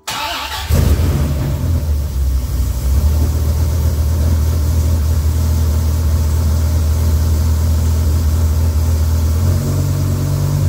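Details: Freshly rebuilt Dodge Viper V10 on first startup after oil priming (40 psi cranking): lights up quickly and holds a strong, even, steady fast idle with no knocks or ticks. About 60 psi oil pressure, no leaks, radiator warming.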